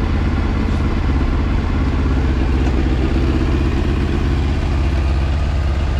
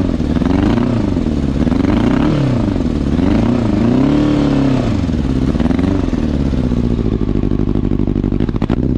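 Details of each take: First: 2000 Yamaha R1 (4XV), slightly warmed up after carburetor repair and synchronization: a steady, even low burble at idle with no misses, hunting or rattles; the carbs are balanced and the engine is healthy. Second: 2000 Yamaha R1 (4XV), somewhat warmed up: loud, lumpy, wavering engine note, running on three cylinders because the carburetors are leaking air at the intake. Misfire from a carburetor intake air leak, before repair.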